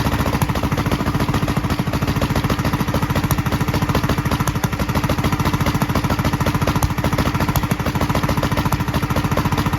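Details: 1943 Gravely Model L single-cylinder on rebuilt magneto and borrowed 1955 L carburetor with its settings; fast uneven chugging, popping from carburetor and exhaust; valve lapping and valve lash check planned. Rough running with popping.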